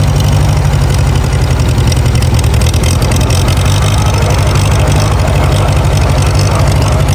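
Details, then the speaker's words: Farmall A tractor after sitting over 10 years, with new radiator, fan, belts and hoses: deep, steady four-cylinder idle with an even beat and no knocks or misses; running fine. "This is awesome. I've wanted this tractor for a long time. Finally have it and hear it running again."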